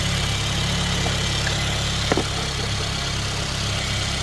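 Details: 2016 Mercedes-Benz CLA250 with RaceChip GTS Black just installed (set to 5 of 7) idling: steady, low, even hum with one brief click midway; nothing irregular, engine healthy.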